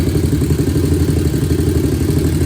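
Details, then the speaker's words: 2001 Honda TRX400 single-cylinder, stock exhaust, idling right after start-up: a steady, even low thump with no tick or clatter. A small tick had been reported after a valve adjustment to spec; the engine now sounds good and healthy at idle. "I don't know, it sounds good. It sounds like it got the V-Touch to me now."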